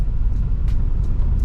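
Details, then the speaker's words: Daily-driven Ford Focus ST driving in Phoenix: under low road rumble, sharp plastic-like snapping noises come at irregular intervals over bumps from the right front suspension; cause unknown to owner. "I thought I would do it yeah you get like almost like a imagine like taking a plastic piece and hitting it against another plastic piece like snapping a piece of plastic that's what it sounds like and it's definitely my right front suspension"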